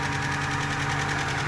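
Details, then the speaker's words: Ford Capri XR2 (turbo), head gasket job, just started and warming up: steady idle with busy, clattery top-end ticking, whole motor a little loud; cause not pinned down, oil pressure later confirmed. "And the whole motor sounds a little loud, but I'm gonna let it run and"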